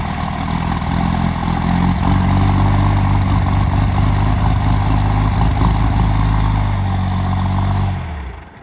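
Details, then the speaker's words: 1985 Ford F250 with 12v Cummins swap, cold start around 24°F after sitting overnight, no grid heater, timing turned up, small air leak at overflow valve: loud, uneven diesel clatter for several seconds, then fades and dies. "it has a small air leak from the overflow valve i need to replace that so it's gonna it's gonna do a pretty good hard start and then probably die and then start again"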